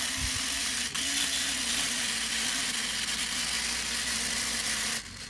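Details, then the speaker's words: Smaller 3D-printed redesign3dp Newman pulse motor prototype, turned down to 6 then 3 volts; steady hum around 250 Hz under loud high hiss, running fine but no output at 3 volts, dropping off sharply near five seconds. "three bolts and it's working good it's not doing any output obviously because it's only three volts but it's working good"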